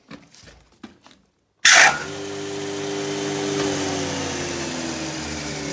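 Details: Logosol PH260 planer/moulder started without cutter blocks fitted: a sharp start-up bang followed by a wavering belt squeal over the motor. Belt squeal; the owner suspects some belts are too tight and others too loose.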